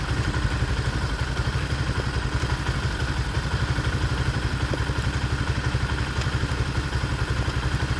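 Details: Motoland 166FMM (165FMM) 250cc single-cylinder engine, first start after repair: steady, even idle with regular exhaust pulses and no knocking or rattles; runs healthy.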